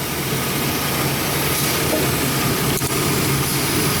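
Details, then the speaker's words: 2002 Chevrolet S10 4.3 L with code P0138, idling: constant airy hiss; pinching the hose to a check-valve tee feeding the vacuum HVAC controls changes the sound; vacuum leak. "Um let me pinch this hose. actually hear a slight change in the windy influence."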